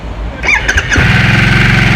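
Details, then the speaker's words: Harley-Davidson Nightster V-twin restarted in Normal mode to let the noise be heard again: starter whirr, then a lumpy idle with a tinny metallic buzz over it, which the rider likens to sheet metal vibrating on start-up; cause not identified. "저는 솔직히 시동 걸었을 때 우리띠딩 하면서 이렇게 철판 떨리는 소리가 좀 있거든요."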